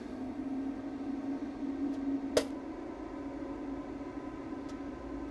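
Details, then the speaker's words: Quietest HeatStar propane forced-air heater lighting: an even fan hum with one sharp igniter click, then a smooth, steady burn; lit and running normally. "Okay, that one's running."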